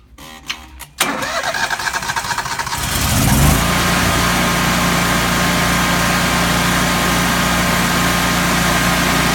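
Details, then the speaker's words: Kohler 17kW propane standby generator after repairs, about 293 hours, well maintained, uses no oil, 240 V 60 Hz: it cranks about two seconds, catches cleanly and settles into a steady, even governed hum. Normal start and run. "the unit produces 240 volts at 60 Hertz very solid little unit for sale today"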